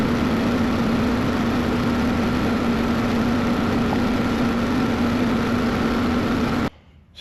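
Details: Cat 312 excavator diesel after replacing a blown hydraulic line and hoses, first start to check for leaks: steady, even drone with constant low hum and no knocks or surging; running normally, no leaks seen.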